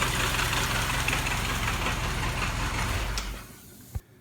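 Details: WWII Jeep (MB/GPW) four-cylinder with a Westinghouse T1 compressor fitted, after the compressor disengages: steady, even low idle with no knocks or misses, then it winds down and stops with a single clunk.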